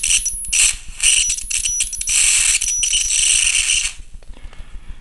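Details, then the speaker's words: Flyback transformer driver circuit after swapping the driver's polarity: loud sizzling hiss of a high-voltage arc in uneven bursts, then dropping away to a faint buzz. "so now change the polarity okay and now let's have a look at the ax oh I can hear it hissing already"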